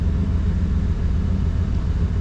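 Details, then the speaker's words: 1992 Chevy C1500 V8 after correcting distributor timing: deep, low, even rumble at steady idle around 700 rpm with no misses, now firing on all eight cylinders; stays running in reverse and drive. "listen to that she's just purring I could put a glass of water on this Dash right now in a bit barely be moving"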